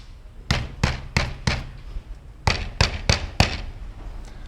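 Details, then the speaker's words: 1994 Mercedes S600 coupe on a lift: tapping the left-side front section of the catalytic converter gives sharp knocks with a hollow metallic rattle, confirmed by stethoscope; right side okay. Loose catalytic converter substrate. "now the problem is with the left side front portion of catalytic converter it makes the noise so if I hit it you can hear it I checked with stethoscope it's coming from this portion right here"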